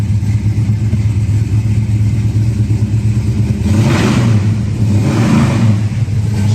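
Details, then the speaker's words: 1966 Mustang GT fastback V8, four-speed, mild cam, original exhaust, cold start: lumpy, loping burble with a couple of throttle blips and no knocks; runs fine while cold. "likes to Rev so it's cold at the moment but it'll warm up and run real nice to that exhaust"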